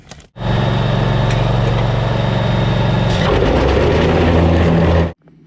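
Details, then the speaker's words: John Deere Z930M zero-turn mower: engine runs steady, then engaging the blades brings a heavy low throbbing shake as the deck belt violently vibrates; started suddenly while mowing, caused by a stick wedged in a deck pulley. "Okay, so that violent shaking definitely isn't normal, and it didn't do it until, like I said, he was mowing along and it started that, so he shut it off and called me."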